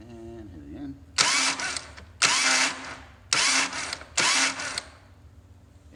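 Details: Harley-Davidson motorcycle with plugs in: four short bursts of starter cranking, each about a second, but the engine never fires or catches. Cranks but won't start.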